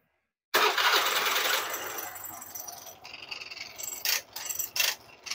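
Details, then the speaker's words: Honda Vario scooter just serviced elsewhere, complaint of rough CVT noise: uneven rasping, ratchety grind in bursts at idle after start-up; found caused by the starter gear. "setelah motor ini dihidupkan suaranya seperti ini kira-kira teman-teman bisa dengar suara kasarnya contoh seperti ini ini contoh dari pada suara kasar yangang"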